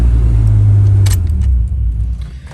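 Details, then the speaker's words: Jeep Cherokee XJ starting right after ignition switch replacement and battery reconnection: deep, even rumble as the engine catches and settles into a steady run with no misses or knocks. Healthy start. "let's see if it starts well there you have it"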